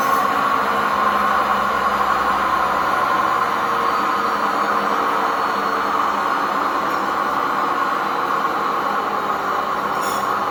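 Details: Old washing machine on spin with worn drum bearings and poor suspension: loud, steady, train-like roar with a rough grinding edge.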